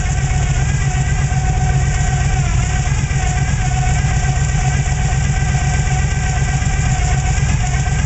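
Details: '95 Chevrolet Silverado 454 V8, Gen 5, gear-drive timing, high-lift short-duration hydraulic cam, otherwise stock: deep heavy rumble with lumpy uneven pulse as it revs, down on power; low compression.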